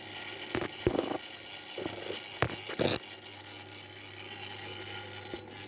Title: Rattling and buzzing noise my okayama OK1230 stand fan